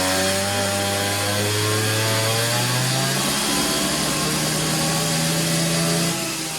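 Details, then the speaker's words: Neotec 843 43cc chainsaw, Husqvarna 543XP clone, being tuned on a dyno, boots removed: screaming full revs climb slightly in pitch with a faint burble; slightly rich four-stroking at wide-open throttle, cleaning up, 2.58 hp. "Feel like she's getting a little bit more cleaner up top."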